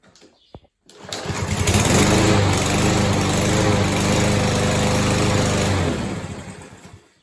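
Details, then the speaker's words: Old Murray lawnmower that had not run in over 5 years, after the carburetor needle and seat were repaired and reassembled. It starts first try and settles into a steady, even small-engine drone without misses, then shuts down; healthy running. "Okay guys, as you just saw, we got this thing. It ran first try."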